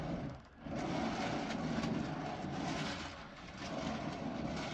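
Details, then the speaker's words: Ungreased lazy-Susan turntable bearing for an R2 build: a steady gritty rumble with clicking and clunking as it turns; greasing the bearings quiets it. "you can kind of hear the bearings clicking clacking and clunking in there"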